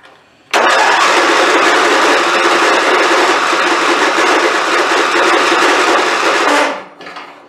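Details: Craftsman YT4000 hydrostatic riding mower after fuel system and clamp work, valves not yet adjusted, pump refilling carb: engine catches, runs ragged and uneven about six seconds, cuts out; rough start, owner expects carburetor problem.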